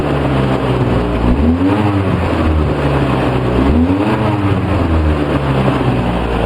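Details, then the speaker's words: 2004 Polaris Sportsman 700 twin, carburetor reportedly rebuilt but with loose and missing screws, on 10–15% choke with Seafoam, running about 10 minutes: idle surging every couple of seconds, never settling, dies without choke; rough idle. "Not leveling out like I hoped it would, Al. But it's only been running for about 10 minutes."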